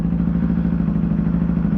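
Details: New Yamaha motorcycle after break-in oil change, on rear stand, in neutral, oil pressure light out, checking for leaks: steady even idle with smooth low pulse, no knocks or misses; normal idle, no leaks.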